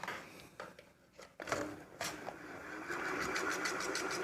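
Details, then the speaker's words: Ceiling fan that jerks and shakes as it runs: an uneven knocking (khat-khat) about three times a second over the motor hum. "देख सकते हैं friends यह कैसे झटका ले रहा है देखिए के पौधे के साथ इसमें से खट-खट की आवाज आ रहा है"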